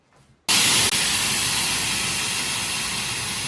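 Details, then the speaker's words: 1998 Chevrolet C1500 farm truck AC system being charged: sudden loud hiss of refrigerant bursting out, brief break, then steady fading rush; pressure relief plug popped again, cause suspected not confirmed. "And we popped again. Yep. Well, charge AC a little, and it hasn't popped yet."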